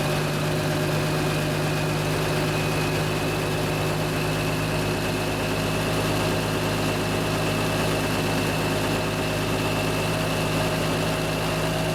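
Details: 1974 Kenworth W900A, Cummins NTA420 diesel, idling after three years in storage: deep steady rumble with a constant low hum and no knocks or stumbles. Normal idle.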